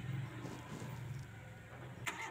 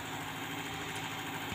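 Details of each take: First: Engine with distributor exposed to dripping water, started after getting wet: cranks and catches, then idles roughly with sputtering dips, surges and shaking; dies at low throttle, unstable ignition; misfire from wet distributor cap, which should be covered. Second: Espass (Zebra) engine with stalling at low throttle, shaking and unsteady idle, after washing and distributor timing adjustment; raised rpm holds an even, steady hum with no stumbles or dips, running smoothly.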